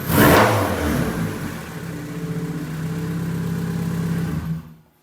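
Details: Freshly built turbo D16 EK Honda Civic enduro race car on static test fires, blips up, settles into a steady even run before shutting off; normal running.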